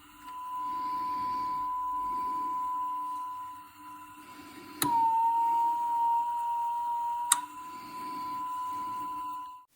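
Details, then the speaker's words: 1960s Studer B62 reel-to-reel playing a constant tone from a near-full 7-inch reel: flipping the reel size switch changes spool motor torque and back tension, so the tone drops slightly in pitch, then returns. "As you can hear, with a constant tone being played from a near full 7-inch reel of tape, the action of changing the switch causes the power being sent to the spool motors to change, thus altering the amount of torque they offer"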